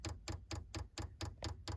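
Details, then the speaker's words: 5 kW Chinese diesel heater installed in a 2023 Ram ProMaster, manual fuel priming to purge air from the line; crisp evenly spaced ticks about four to five a second, slowing slightly; dosing pump priming normally. "you can hear the pump ticking away and it's kind of slowing down a little bit"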